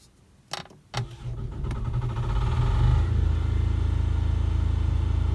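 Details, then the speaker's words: Onan 3200 generator in a Tiffin Wayfarer RV, started after an oil change with the exact drained amount refilled, checking for leaks: a couple of clicks and short crank, catching within a second into a steady even low drone: normal start and run. "And then when we're all finished with that, we'll start it up and check it for leaks."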